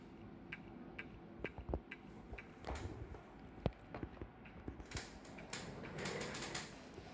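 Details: New Toshiba 1.8-inch hard drive, worked fine for two days, now irregular sharp clicks with faint ticks and the computer reports no hard drive found; drive clicking, likely failing to read.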